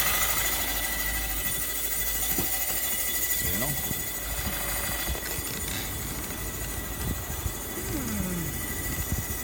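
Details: VW Golf 6 1.6 TDI 105 hp diesel at idle: diesel clatter with sharp metallic taps mixed through it, a metallic engine noise still to be traced.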